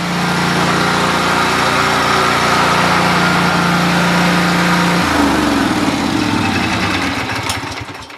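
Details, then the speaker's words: Kawasaki-engined small single, free machine sitting 2 years, pull-started and fired right up: steady, even putter for five seconds, then pitch shifts and it winds down at shutoff; runs smooth and clean. "I can't believe I got this thing for free, but yeah, it's been sitting 2 years and it fired right up."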